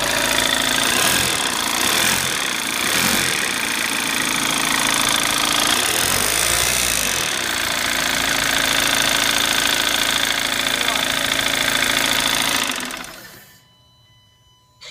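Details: VW TDI diesel with high-pressure fuel pump failure: loud engine with hard, even metallic clatter about three times a second until shutdown.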